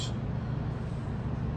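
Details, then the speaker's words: Ford, worn press-on wheel bearing, vehicle lifted and run with wheel spinning: steady low droning howl confirmed by stethoscope against the other side as bearing, not brakes. "it's not breaks that I hear it is the bearing howling"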